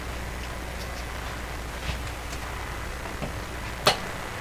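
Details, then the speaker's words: Collins R390A receiver during IF gain (R519) adjustment, no antenna: steady even hiss with faint low hum unchanged with the receiver switched off, so it is background noise from the shop amplifier, not the radio. "absolutely no change to the noise so this kind of a background noise that somehow i have to make sure the noise of the radio is above this noise"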